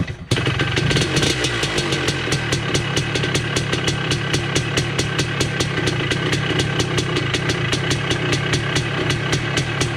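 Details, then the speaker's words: 1980 Honda CR250 Elsinore two-stroke, first start in a decade after restoration, carb not yet adjusted: crisp regular ring-ding popping about five beats a second, holding steady without stumbling; clean normal idle. "she's alive i don't know if it'll stay idling here i haven't really played with the carb yet but he's alive my god sounds good too not gonna lie"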